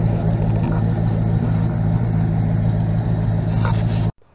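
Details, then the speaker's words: 1977 GMC Sierra K25 with a swapped 2002 Silverado 5.3L V8, 2.5-inch pipes and Flowmaster Super 10s, driven about 3 months without issues: deep, even V8 idle burble until shut-off with no knocks or misses; healthy. "Runs really well. No issues with it at all. I've been driving it now for probably about 3 months at least. It runs really good. Doesn't sound too bad."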